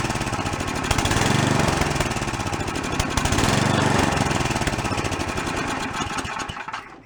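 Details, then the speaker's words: Free old snowblower single-cylinder engine, first start after cleanup, no choke: firing about four times a second, speed rising and falling, no steady idle; idle screw unresponsive; blocked carburetor idle circuit, carb to be soaked. "has no idle circuit we gotta go take that car block soak it so you can get to come clear no response from the adjusting screw neither"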